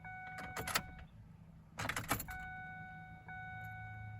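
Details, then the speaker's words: 2004 Ford Ranger 3.0L V6 after fuel filter replacement, key cycled on without starting to prime; key clicks, then faint steady high hum of the fuel pump kicking on: normal priming. "I can hear the pump kicking on, so no, that's good."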